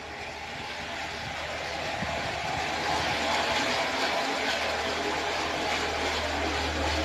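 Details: Renault Sandero 1.6 8-valve, owned one month, under warranty: loud fast steady ticking about four per second over a rough idle; owner suspects cylinder head or rocker arms, cause uncertain.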